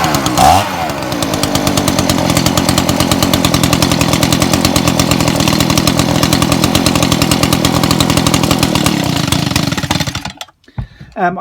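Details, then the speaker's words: Old Echo leaf blower on choke (kill switch not yet connected): steady even two-stroke buzz for about ten seconds, then shut off; carburettor fuelling fine, new diaphragm and gasket still planned. "it turned over and it actually started so and there doesn't seem to be much wrong with this at all so i'll show you it running again"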